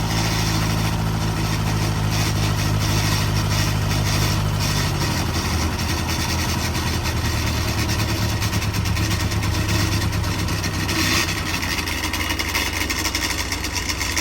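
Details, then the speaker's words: Freshly built Davies 1040 dry-liner engine (74mm bore, mild R17 cam, road-intended) on the dyno: steady even low rumble with a smooth regular beat around 1,000 rpm, no knocks or misses; healthy idle. "So we'll fire it up. Good idle."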